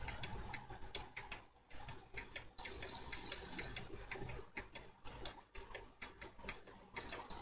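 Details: PS4 fat that will not power on: high, thin beeps in a group of three short bursts, repeating when it is connected to power, pointing to a failed southbridge.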